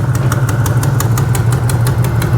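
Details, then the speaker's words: 2010 Chevy Camaro SS LS3 6.2L V8 idling with aftermarket BBK headers; sharp rhythmic ticking puff on each firing pulse from one side's exhaust manifold not sealing, leak; otherwise runs well, not overheating. "Like I said, she definitely has a manifold leak here. They put a nice set of BBKs on it, and this side just is not sealing well."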